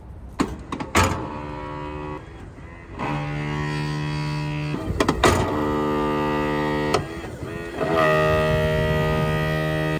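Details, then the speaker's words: RV electric steps stuck out, yellow light on and power reaching the steps. Steady low buzz in repeated bursts from a worn motor too weak to retract the steps; the controller is the other suspect. "The motor's worn out. You hear that buzzing? It's because the motor is no longer strong enough to bring the steps in."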